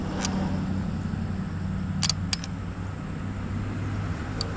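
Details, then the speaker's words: Stock unmodified LS truck harness on an LSx engine test stand, ignition power applied via pin A9 of C1; fuel pump relay clicks on then off as it tries to prime the fuel pump, normal prime cycle. "heard it click off that was trying to Prime the fuel pump"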